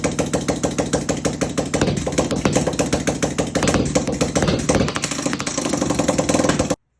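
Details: 1980 Honda XL500S single cylinder, carburetor fitted, new fuel line and filter, old tank gasoline, choke hooked up, camera on tripod; crisp even thumping about four beats per second, idling cleanly and healthily.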